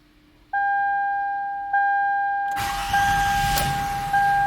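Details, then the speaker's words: 2005 Toyota Sienna with intermittent starting problems, after fitting a new Ultima part and charging the battery three hours: warning chimes, brief firm crank, catches right away into smooth even idle; normal start. "Oh yeah, way different story. Will you not agree? I think the owner will be very happy."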